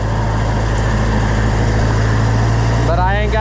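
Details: Oliver 1250 (Fiat 415) diesel tractor on first test run after reassembly, jump-started: steady heavy diesel clatter that neither settles nor picks up; good oil but no governor action, governor not regulating speed.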